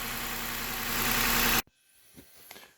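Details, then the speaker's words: Seven-year-old Lexus RX350 with a rattle, idling with the drive belt removed: even, smooth idle with no rattle before shutdown, so the timing chain is fine. The noise was traced to the water pump. Normal idle. "all right so with the water pump or with the belt removed kind of much quieter already that's a good thing that means our chain drive timing component components all that are good"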